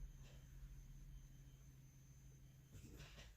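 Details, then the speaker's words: 2010 Ford Mustang GT project rebuild with a no-start, key on, engine off, during on-demand self-test: faint low steady hum from the rear as the fuel pump primes; same four error codes return after clearing. "You'll see key on, engine off, on demand self-test. You can hear stuff going on its own when I do this. So here's a fuel pump coming on."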